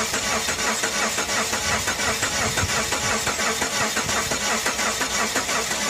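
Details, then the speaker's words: Engine said by the seller to be locked up, cranks in park but never catches: a steady starter churn of about three turns a second, and the owner says it doesn't sound good; crank, no start. "i'm just gonna bump it whoa it cranks he told me it was locked up doesn't sound good though"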